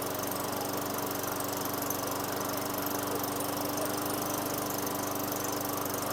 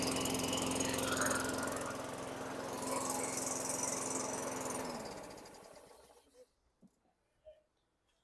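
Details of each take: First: 2003 Craftsman mower, Tecumseh 4.5 hp 148cc engine with new correct carburetor, after raising idle via governor tab and throttle set screw: smooth, even idle at steady pitch, no misses or surging; idle speed sounds right. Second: 2003 Craftsman 917.387360 mower, Tecumseh 4.5 hp 148cc engine, after fitting correct carburetor: even, rather low hum then winds down; runs well but rpm slightly slow, to be adjusted. Engine speed slightly low.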